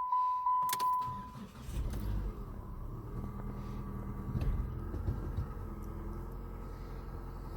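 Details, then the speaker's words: 2007 Chrysler PT Cruiser non-turbo after new valve cover gasket, spark plugs and plug wires, hood shut: chime and key rattle, then engine catches and settles into quiet, even idle with no tapping; normal idle. "I think we're good to go to shut this hood and turn it on see if it see how it sounds"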